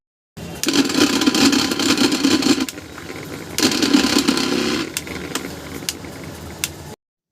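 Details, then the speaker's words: Mixer grinder motor runs loud and rough with a harsh rattling roar; the coupler wobbles because the motor shaft bushes are worn and damaged, to be replaced. "उपार्जन हमारा coupler चल रहा है, जो ऐसा नहीं होना चाहिए। इसकी झाड़ियाँ क्षतिग्रस्त हो गई हैं।"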